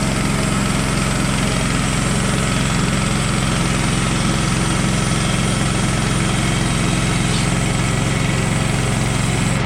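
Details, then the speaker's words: Brand-new Woodland Mills HM130 Max Woodlander sawmill with a 14hp Kohler engine, warmed up, making its first cut with a new sharp blade: steady, even drone with a regular beat and no loose rattles. Normal running under cutting load. "everything sounds good everything feels good i'll probably just listen for some vibrations make sure nothing sounds like it's loose and just continue on as normal"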